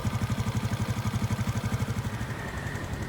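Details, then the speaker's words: 2005 Honda Supra X 125, carbureted 125cc single-cylinder, idling: a steady thump about four times a second with light clatter on top. The noise may mean some parts need replacing; cause unclear. "Kita bisa mendengar bahwa suaranya agak berisik, mungkin karena beberapa bagian perlu diganti."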